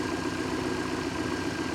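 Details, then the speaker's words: 1976 MerCruiser 120 hp, restarted after a suspected fuel run-out on a 3-gallon tank, microphone by the engine: steady, even idle with a smooth regular beat and no misses or knocks; running healthy again. "and she's right back to singing Baby"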